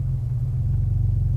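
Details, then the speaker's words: Porsche Boxster 986 idling in background after yearly DIY service (oil and filter, fuel filter, air filter, new spark plugs): soft low even rumble, no knocks or misses; running nice and sweet, test drive is the drive home. "Anyway, as hopefully you can hear, it seems to be running nice and sweet, and test drive is the drive home."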